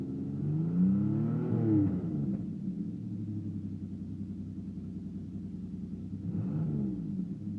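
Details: 1992 Firebird 3.1 V6, new lifters, timing 12 degrees, revved on throttle: revs rise unevenly, pulsing and stumbling like fuel starvation; sounds cammed; owner believes fuel pump good, cause unconfirmed.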